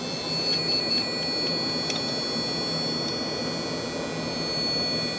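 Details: pfSense router/server PC at power-on: steady high buzzing beep over loud fan roar, never boots, repeats after power cycle, board showing error code A6; fault cause unknown.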